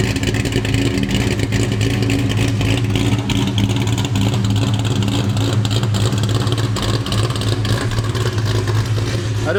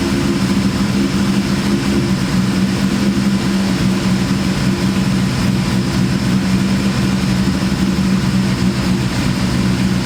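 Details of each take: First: Terminator Cobra with big cams and ported Eaton blower, after new tune: deep rumbling loping idle, about three pulses a second, chop kept after tuning, sounds like it's sucking harder; aggressive cam idling normally. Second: Terminator Cobra with big cams and ported Eaton blower, freshly tuned, at idle: lumpy idle with strong constant low drone; owner guesses supercharger is the source, unconfirmed.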